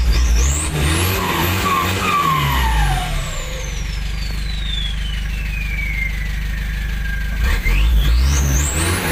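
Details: Nissan TD27 diesel fitted with a Z18 turbo, in use for several years, revving up as the turbo spools with a clean whistle that climbs and falls with throttle; normal healthy turbo.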